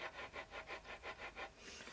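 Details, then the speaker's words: Husqvarna 394XP chainsaw crank turned by hand after teardown, run just before and possibly still warm: a dry, gritty rasp repeating about four times a second. The bearings feel good but sound rough, indicating a rough crankshaft bearing. "the bearings feel good in it man they sound like crap and I just ran that saw before I brought it in there and tore it"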